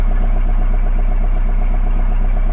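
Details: Engine started after repair work, running about 10 minutes and unrun for two weeks, slightly smoky: deep, steady idle with an even low throb and no misses, knocks or hunting; normal running.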